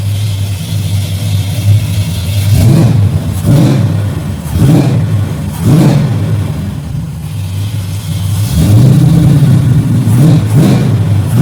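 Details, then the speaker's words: Chevy with Holley carburetor, fuel pressure at 6 psi, after a bad carb was found: engine picks up cleanly on quick blips and returns to steady idle; healthy throttle response, no stumble. "Wow, she's got good response, too."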